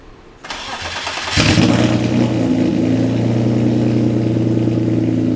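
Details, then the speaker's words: Car with a new aftermarket clutch: it cranks, catches, revs, then a loud idle with a faint steady whine; the owner thinks it needs a serpentine belt and says it sounded the same on the drive over. "yeah sounds like it needs a serpentine belt but uh I mean it sounds like it did on the drive over just now"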